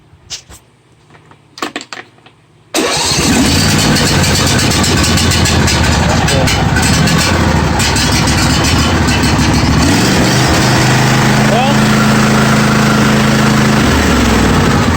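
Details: John Deere D155 lawn tractor with intermittent no-crank complaint, started on choke: a few clicks, then engine catches at once and settles into a steady even idle with no stumble; normal start and idle.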